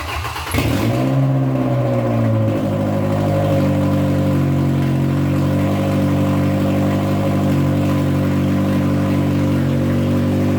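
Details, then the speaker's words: Old junk truck of unknown history, first start after reconnecting: catches after a short crank, settles into smooth even idle with no misses or knocks; oil pressure gauge likely not working. "its reddit smooth guys check it out man it's brother really good sounds good down smooth"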